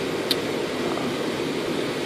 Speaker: I'm going to flip the breaker on to the air handler, and I can hear it buzzing, and there you see the blower start up, and we're all set and ready to go.